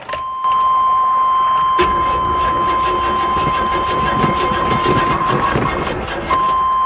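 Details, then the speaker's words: Vehicle at an auction lot, likely not cranked in a long time: laboured starter grind over a steady warning chime, turning slowly and heavily without firing; engine sounds tight, cause not confirmed. "She sounds like she probably hadn't been cranked on in a while, guys. The engine sounds a little on the tight side."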